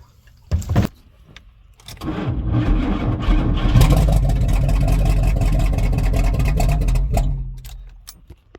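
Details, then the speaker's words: Chevrolet squarebody truck with 454 big-block V8, rotted: cranks, catches and roars about five seconds, then fades and dies; fuel starvation stall because the fuel pump was left switched off. "I forgot to turn the fuel pump back on this is difficult"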